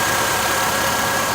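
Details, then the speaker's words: 2012 Nissan Altima just after serpentine belt and splash shield replacement: steady, even idle with a smooth hum and no squeal or chirp; the new belt runs aligned and quiet, normal idle. "You can see that it's checking it to make sure it's aligned, it's not making any noise."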